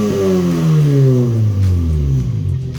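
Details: Car with its rear muffler just removed: deep raspy exhaust drone swelling and falling through a couple of blips, far too loud; loud exhaust with no rear silencer.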